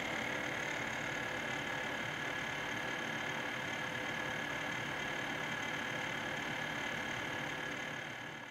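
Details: Corsair H100 liquid CPU cooler: constant whirring grind with a fast rattle about four times a second and a thin high whine. Pump rattle/grinding noise; owner ordered voltage droppers hoping to fix it.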